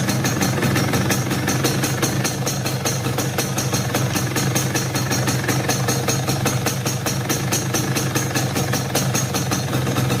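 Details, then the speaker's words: Yamaha F1ZR motorcycle with a harsh regular clatter, about five beats a second, over the idle. The noise is from the clutch housing, lessens slightly when the clutch lever is pulled, and worsens when ridden; clutch housing rattle. "Kendala lainnya, oke teman-teman bisa lihat sendiri, itu dari bunyi motornya itu sudah kasar ya teman-teman."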